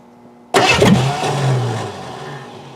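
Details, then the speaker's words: 1988 Crown Vic, fuel-injected, sat about five years, key cycled to prime the fuel pump; cranking gives a sudden sputtering catch that fades without idling; catalytic converters cut off, engine later judged junk; cranking with sputter, no start. "let's get a little bit more pressure oh we got a little sputter there"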